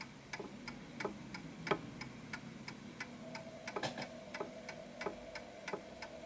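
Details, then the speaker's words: Antique Westminster chiming clock with silent function, pendulum nudged to find centre of gravity and put in beat: crisp, steady, evenly spaced tick-tock at about ninety beats a minute, a perfect ticking clock running properly. "Now you hear that sound. That sound there is a perfect ticking clock."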